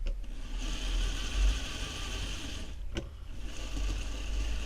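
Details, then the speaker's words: Hornby Locomotion No. 1 model locomotive (Era 11 catalogue edition), after a tiny drop of oil where the vertical conrod rubbed the running plate: the motor and gears whirr evenly with no squeak; fixed, running smoothly. "yeah certainly that's uh that's fix the problem so I'm quite happy now with my EO 11 or eo2 locomotive that uh that's a very successful Runner"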